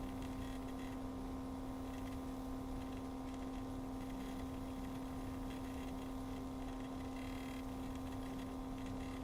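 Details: Cooler Master MasterLiquid ML240L RGB liquid cooler pump: constant steady hum with a strong pure tone near 250 Hz over a faint background; abnormal pump whine, cause unknown.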